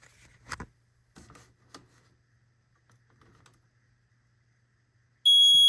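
After some knocking and handling noise, one short, loud, shrill beep sounds near the end; the detector's alarm works normally.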